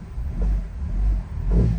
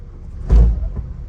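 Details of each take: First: 2004 Honda CR-V after replacing worn engine and transmission mounts (broken bushing): low engine rumble and throttle blips in gear, no clunk or jerk on engagement. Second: 2004 Honda CR-V shifted from reverse into drive with gas pressed: single heavy deep clunk over low idle, car jerking; worn engine and transmission mounts, right side worn, both being replaced.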